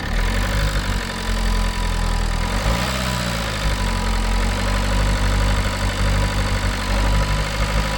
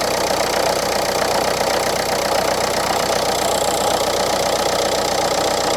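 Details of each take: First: Renault Clio IV 1.5 dCi after a timing belt job, valve cover, EGR cleaning, engine flush, DPF additive and fuel filter change, old oil with flush drained: steady idle with one brief rev while fuel filter was primed, then an even, quiet beat as it should be. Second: Renault Clio IV 1.5 dCi losing engine oil, check-engine light with a fuel injection warning, on an injector tester (one injector slightly weaker): an uneven, clattery idle at about four beats a second; no oil on the dipstick, hence the loud running.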